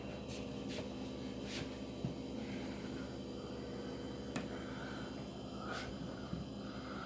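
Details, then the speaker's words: Whirlpool WRF989SDAM00 refrigerator Embraco inverter compressor, drive frequency 151 Hz: steady even hum, low drone, few faint clicks; running normally at max speed, duty cycle and DC volts unchanged. "I can hear the compressor running at max speed no change on the duty cycle no change on the DC volt"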